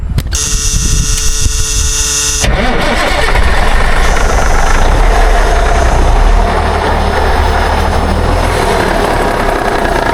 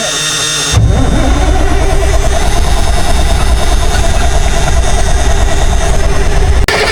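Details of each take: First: 1962 Kenworth W925, Cummins Big Cam diesel, sat 18 years, after the fuel lines were replaced and the filter topped off. The starter grinds about two seconds, then the engine catches and settles into a low, even idle running on its own tank. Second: 1962 Kenworth W925, Cummins Big Cam diesel, sat 18 years. Heavy cranking at about three turns a second without catching. It is fuel-starved: the return line is dry and the filter is not pulling fuel.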